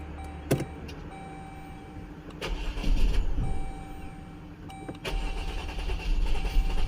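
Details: 2011 Jeep Grand Cherokee 3.6L with used engine and harness, codes P0202 injector 2 open and coil 1, 4, 5 insufficient ionization, coils swapped: starter churns in uneven bursts with chimes, never catches; no fuel pressure seen, bad injectors suspected.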